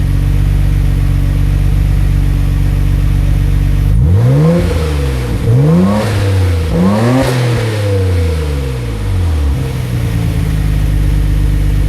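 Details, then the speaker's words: 1991 Nissan Skyline GT-R RB26 with new Blitz downpipe and Kakimoto resonator test pipe (cat delete): settled idle, then three clean blips climbing and falling evenly, back to steady idle; quiet, healthy exhaust, normal free revving. "Sounds pretty quiet with that Kakimoto resonator pipe. Let's give it a couple revs."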